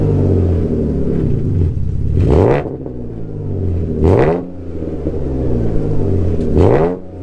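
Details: Alfa GTV 3.0 V6 first started in 18 months after refitting Wizard stainless downpipes and a Cybox stainless cat-back with no cat and largest silencer deleted. Slightly warmed. Three clean blips rise quickly and fall back to a steady throaty idle, no misses or rattles: healthy.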